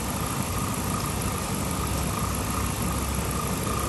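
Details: 2007 Chrysler 300C Hemi V8 that was overheating, after coolant refill, idling with heat on to bleed air: steady, even low rumble with no knocks, misses or squeals; normal idle.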